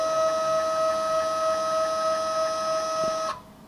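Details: New Kami FKM 350 PL machine, Y axis travelling: steady high-pitched whine near 650 Hz with overtones that stops abruptly with the axis; abnormal Y-axis noise, cause unclear.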